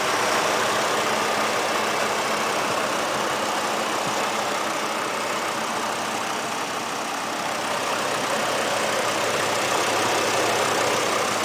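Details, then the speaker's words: 2010 Chevrolet Colorado LT with the Vortec 3700 3.7 L inline-five, steady smooth idle with little vibration and no knocks or misses. It sounds healthy. "you can see very little to no vibration that's a sweet sounding truck"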